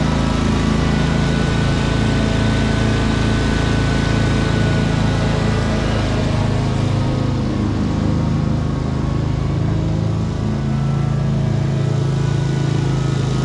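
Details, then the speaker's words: 2003 Wright Stander, 23 hp Kawasaki V-twin, after everything wrongly hooked up was corrected and adjusted: even, steady drone at constant speed, no surging, popping or misfires. It runs as it should. "Everything was pretty much hooked up wrong. So figuring it out here, and I get it working just the way it's supposed to."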